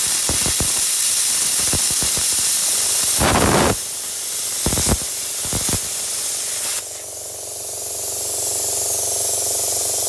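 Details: Parkside (Lidl) plasma cutter cutting 3mm steel: sharp pops and hissing bursts as the pilot arc starts and the compressor kicks in, then a steady loud hiss with a low hum underneath; normal cutting.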